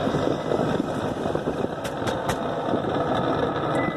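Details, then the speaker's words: 2007 Mitsubishi Outlander with the engine idling: a rough whooshing roar with sharp ticks that is judged to come from a faulty cabin blower motor, which is then replaced. "That's annoying. I guess we're going to fix the car. Sounds like the blower motor. Sounds like the blower motor."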